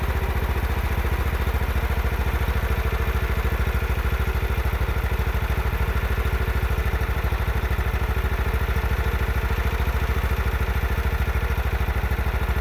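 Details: John Deere 16 HP mower (140 psi compression) after the carburetor was refitted with a fuel line, air filter off: steady, even low thump at idle with no misses or knocks; it runs smoothly.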